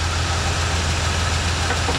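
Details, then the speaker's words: 1986 Chevy C10 that sat a couple of years, running after revival: smooth, steady, even idle with no knocks or misses, running pretty good. Blow-by is clearing. "-by's clearing up almost gone oh [Applause] a little low [Applause] it's actually running pretty good"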